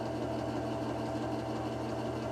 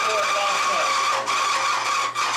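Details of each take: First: Lubricant test rig running unloaded with AFO concentrated refrigerant oil, drawing 5.1 amps, decibels maxing at 97: steady, even motor hum with a low constant drone, no knocks or grinding, before pressure is applied. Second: Bearing lubricant test rig with AFO refrigerant oil under rising pressure: fails at 15, locks up at 20–25; current reaches 7 amps from 5.1 unloaded, 103 dB; loud metallic screech cuts off as the bearing seizes, showing significant metal wear.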